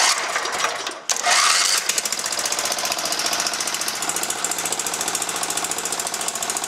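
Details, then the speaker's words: John Deere 160 lawn tractor, wiring just hooked up and refueled, fires right up and revs fast and even with no misses; puffed a little smoke only from sitting outside long; running normally. "fires right up revs up fine sounds perfect doesn't smoke well it puffed out a little bit of smoke just because I was laying outside for so long"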